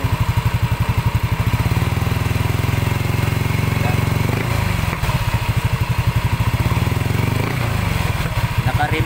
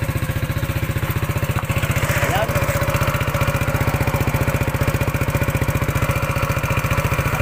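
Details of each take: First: Yamaha NMAX 155 with a remapped ECU, after repairing a noisy-engine complaint. Low, regular putt-putt idle with evenly spaced firing pulses and no top-end ticking or rattle. Final check shows the noise is gone. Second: Yamaha NMAX 155 at idle: a fast, even clatter rides over the deep thumping exhaust beat from the noisy engine.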